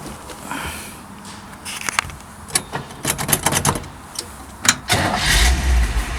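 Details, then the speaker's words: All-original 1963 Chevrolet Impala V8 with 3-speed manual. After brief cranking it catches at once and settles into a steady, even idle; a healthy, easy cold start. "Starts with ease."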